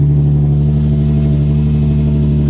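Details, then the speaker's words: 2003 Nissan 350Z, first run in over two years after a new ECU cured a crank-no-start: a steady, deep, even hum with no knocks or misses. Running normally. "that sounds so good oh I'm so stoked right now"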